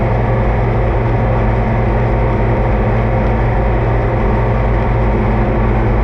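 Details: Oliver 2255 front-wheel-assist tractor on a test run after an oil service of engine, transfer case, front axle, rear end and hydraulics: a deep, steady diesel rumble with an even beat and no knocks, misses or rattles. Normal running; owner says everything done is fine.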